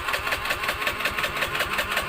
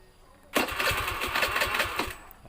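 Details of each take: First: Honda Beat FI with a severely weak fuel pump, fed from a hand-pumped pressurized infusion bottle instead of the pump: quick even putter with light ticking, holding a steady idle once fuel pressure is restored. Normal idle. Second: Honda Beat FI scooter with weak fuel pump pressure, tested with petrol fed by a hand-pumped infusion bottle instead of the pump, fuel not yet pumped: the electric starter whirs with quick even compression pulses but the engine never fires. Cranks, no start.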